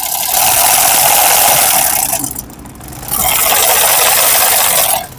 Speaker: सुन रहे हैं आप मशीन बहुत ज्यादा आवाजें कर रही है।